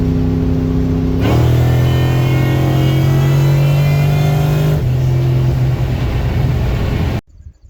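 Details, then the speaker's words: Supercharged 302W small-block, non-intercooled Roots-style blower, timing being tuned: high gear, low RPM mini pull with steady rising tone and blower whine; belt still on, normal supercharger whine under load (belt later came off on second-gear pull). "High gear, low RPM, little mini pull. Well, I still hear the belt, so it's still on the engine. That's a good sign."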